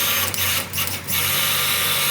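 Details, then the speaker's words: Chevelle with a new Tank Inc notched fuel tank and GPA-9 (450 L/h Hellcat, 1,050 hp) in-tank pump, powered through a jumper harness to flush about a gallon of gas through the tank and lines; steady high-pitched hum without stutter, normal pump operation. "That's that 450 liter per hour Hellcat fuel pump. Supports 1,050 horsepower."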